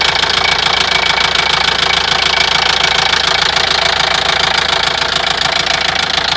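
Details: Opel Vivaro 1.9 diesel, F9Q engine: steady sharp knock about three times a second over diesel clatter at fast idle, appeared suddenly at 1500 rpm, independent of engine temperature; spun crank bearing, timing belt already replaced.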